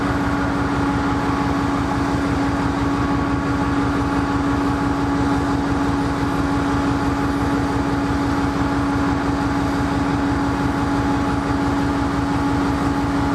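A big diesel idles with a steady low drone and a hum on top, and its beat lopes unevenly instead of settling, a rough idle.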